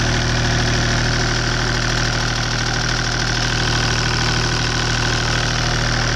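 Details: Deutz 2009L03 (2009L3) German 3-cylinder direct-injected diesel on a test stand, cold start after sitting indoors at about 52°F, glow plugs used; even clatter at about 214 ticks a minute at steady cold idle, no misses or knocks, seems to run pretty good.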